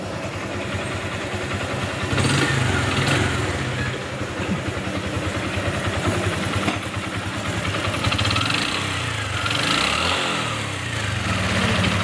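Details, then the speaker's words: Honda Supra X 125 FI (injection) motorcycle engine running: harsh, rattly knock heard loudest at the middle of the engine. It is suspected to be the connecting rod big-end; the engine is to be torn down and the connecting rod replaced. "Oke nanti kita akan bongkar mesinnya karena diperkirakan ini suara kasar dari stang seher ya"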